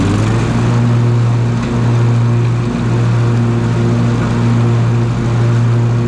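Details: Husqvarna TS354XD riding mower with 54-inch ClearCut deck, test run after deck belt replacement, tension reset and grease fittings serviced: deep steady low hum with an even beat, no knocks or squeals; normal running.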